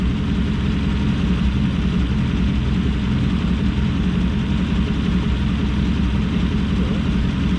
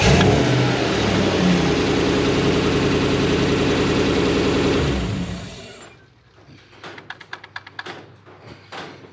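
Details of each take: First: Toyota LN106 Hilux with 1UZ-FE V8 swap and automatic: deep idle with uneven, lumpy beat; plugs one heat range too cold suspected, misfire on one bank suspected. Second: Toyota LN106 Hilux with 1UZ V8 swap and automatic, after resetting the idle stepper motor (bearings suspected, not working properly): smooth steady V8 idle, no stalling; idle now comes up properly.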